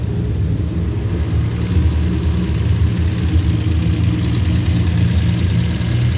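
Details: 1949 Studebaker with a customer complaint of hard starting, started after pumping the throttle a couple of times: low, steady, even idle with no misses, knocks or hunting; the carbureted engine runs healthy.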